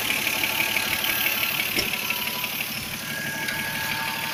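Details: Toyota 2JZ-GE idling 300 km after a rebuild with all-new Taiho connecting rod bearings: steady idle with a light repeating tap about three a second over a hissy top end; knock of unknown origin.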